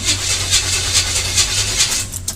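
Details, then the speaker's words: Hard start on a square-body 454 after an Edelbrock-to-Holley carburetor swap: even starter cranking about twice a second, engine nearly catches but won't run; the carburetor was likely just a little flooded. "I don't think I needed any adjustments actually think it was just a little flooded let's try again"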